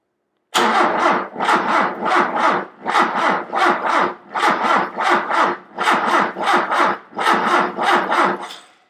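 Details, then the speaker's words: Thunderbird-sourced Ford 2.3 L turbo four on first start attempt in years, weak battery: starter churns in slow, uneven pulses without catching; crank no start because the injectors were not firing. "So after a ton of testing, I determined that the injectors were not firing."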